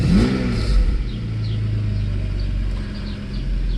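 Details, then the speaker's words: Mercedes S600 W140 after Egas throttle module repair, in-car test: deep rumble swelling on a quick blip then settling, pulling up smoothly without hesitation; normal revving and idle, secondary air pump a little loud and exhaust broken. "Idle feels to be so far so good. This car is not being driven often, so you might see a little bit of, and exhaust is broken, so air pump is also a little loud. Acceleration seems to be okay."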